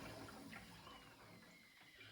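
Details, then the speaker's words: Combi-boiler radiator being bled: hissing, spluttering flow turns wetter and gurgling as the last trapped air clears and water reaches the bleed screw; the radiator then heats fully. "Now you can imagine there's quite a bit of air trapped in this. I can hear the water running into the radiator as the air is coming out."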